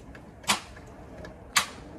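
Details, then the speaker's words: After starter installation, jump-starting from a donor battery: two sharp single clicks about a second apart with no cranking; starter clicking from poor jumper cable connection at the battery. "i hear some clicking i think we got to get a better connection at our battery"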